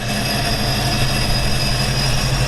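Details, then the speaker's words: 5.7 Hemi with newly installed TorqStorm supercharger on the dyno, intake not fitted: loud steady roar with a constant high-pitched whine over it; normal supercharger whine. "as you can hear, our TorqStorm is on the dyno."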